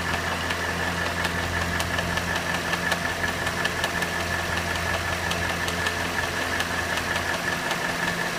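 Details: Cadillac Northstar 4.6 V8 at hot idle: crisp steady tick around 160 per minute over a smooth engine; intermittent clicking only when hot, cause unclear.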